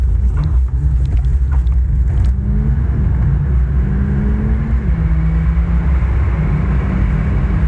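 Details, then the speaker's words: Mahindra Thar petrol automatic at 100 km/h after the service center tightened some nuts to fix a cabin whistle. Only a steady low road and engine rumble, with no whistle rising over it. Normal quiet cabin, whistle fixed. "so now we are at hundred and this is i can very well say that i am not able to hear that whistling sound now"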